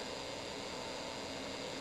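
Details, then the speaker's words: Vintage Orion cassette recorder; steady, even whirring hiss at constant speed, no dragging or stalling: fast-forward works normally, though play and record do nothing. "it does seem like the fast forward and the rewind are working fairly well"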